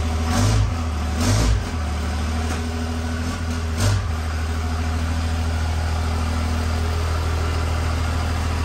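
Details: Cummins diesel (1500hp project truck build) at hot idle shortly after start, good oil pressure, before hot retorque; deep steady idle with short throttle blips, even, no knocks: normal hot idle and revving.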